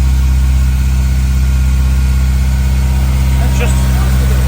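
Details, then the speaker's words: Honda S2000 CR with only 532 miles, first start after sitting non-running for over 10 years, after the unreliable parts were removed, the wiring repaired and OEM parts fitted: smooth, even idle with steady low hum, no knocks or misses; normal idle. "That's what they're supposed to do. 532 miles. I still can't believe it."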